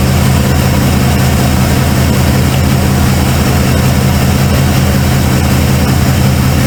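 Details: Cold start of a 1995 Ford F-150 barn find: a loud, deep idle with an uneven, stumbling beat. The owner suspected plug wires or firing order, and a passenger-side plug was gas-fouled.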